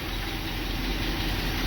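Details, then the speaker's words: International Scout V8 after about 13 years sitting, new plug wires, fuel pump now feeding carburetor from a temporary gas tank: short steady low rumble, even idle with no misses or knocks, running smoothly. "Oh my goodness, look at that. Sits here in idle, it's like a brand new rig."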